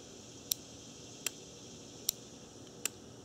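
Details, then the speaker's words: Automotive relay (cooling fan relay test) energized on the bench from an RC battery pack of about 12 volts across terminals 1 and 2: four sharp, crisp clicks about a second apart as it switches normally. "uh relays for actually you can hear a click hold on you hear"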